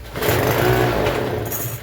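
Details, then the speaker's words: Troy-Bilt TB272V two-stroke leaf blower at half choke, throttle untouched: it bursts into a buzzing run for about a second, then fades and stalls; debris is seen in the dark purge bulb and a carburetor fault is suspected; dies at part choke. "See, that's all it does. And I'm not even touching the throttle."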